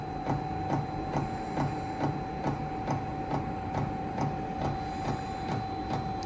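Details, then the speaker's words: Chinese diesel heater, first startup, exhaust still cold and not yet lit: sharp regular ticks about twice a second over a steady fan hum as the dosing pump primes normally. "still priming itself for the feel of it exhaust is cold so it's not fired up yet"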